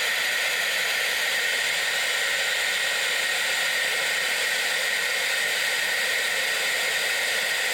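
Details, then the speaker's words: Air-driven venturi coolant vacuum filler pulling vacuum on a 2016 Ram 3500 6.7 high-output diesel cooling system during a coolant exchange: steady, even high-pitched air hiss holding constant throughout; normal vacuum filler operation. "this here evacuates all the air so when I close this valve pull the trigger it creates suction right here so this is going to suck all the air out the radiator hoses will collapse and everything"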